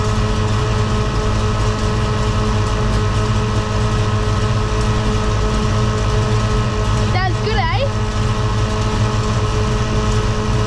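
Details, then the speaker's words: Holden HT Monaro V8 at a deep, even idle after the faulty MSD ignition module was replaced, with alternator wire run and thermo fans on. No knocks, ticks or stumbles; the owner says it sounds mint. "eh sounds good he going to hold that down the back well I must say I'm very pleased with that that sounds mint"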